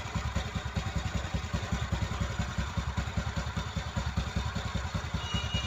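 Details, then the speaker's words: TVS Ntorq 125 BS6 scooter after one-way bearing replacement: a steady, even putter with no rattle or clatter on start-up or on a throttle blip, as the noise is gone; normal idle. "এটা race কর। তো একদম ঠিক হয়ে গেছে, আওয়াজ কোনো আওয়াজ নাই।"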